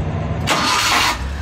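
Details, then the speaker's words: Suzuki mini pickup that kept stalling and was hard to start, after a fuel blockage was cleared: short crank, catches straight away and settles into a steady idle without stalling; starter still a remaining problem. "so wala tayong RPM walang RPM yan maayos na maayos na kahit na silinyador mo hindi na siya namamatay"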